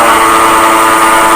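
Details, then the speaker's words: Grizzly G0733 18x47 lathe bought in June 2012, a few weeks after the first recording, gives a loud, steady rumble with a hard ringing tone and felt vibration, louder than before; motor silent when disconnected, so a bad headstock bearing is suspected. "it's got progressively worse a lot louder I can feel the vibration think we have a bad bearing here"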